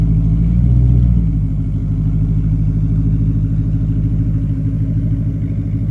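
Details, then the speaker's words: 1988 Porsche 928 S4 V8 with a rear muffler bypass and new tires. It has a deep, steady, throaty exhaust beat with no knocks or misses: healthy running. "anybody who's put a rear Muffler bypass on an 88 and I think it's 88 and 89 or 87 and 88 I don't remember exactly but the 88s for sure they just sound so good with simply a rear Muffler bypass on it"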